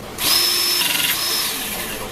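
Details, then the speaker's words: Pinchen HL-400B cordless hydraulic crimping pliers, tested after bleeding air during an oil leak repair: a steady high motor whine with no popping, so the pump runs normally without air in the hydraulics. "Listen for the sound of air There should be no more Just you will hear a popping sound That might mean there is air"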